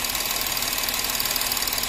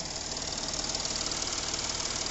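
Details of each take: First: Porsche Cayenne 3.0L TDI that misfired, after the three injectors on one bank were serviced and refitted, with return now flowing: even, steady diesel idle clatter with uniform pulses, no misfire stumble, a healthy idle. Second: Porsche Cayenne 3.0L TDI misfiring on starting: uneven, shaky diesel idle with two or three stumbles a second, rough running from injectors on one bank.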